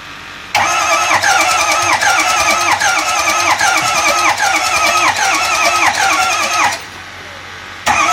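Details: 2005 Ford F-250 6.0 diesel no-start: steady rhythmic cranking about three turns a second for six seconds, sounds a bit weird, never catches or fires.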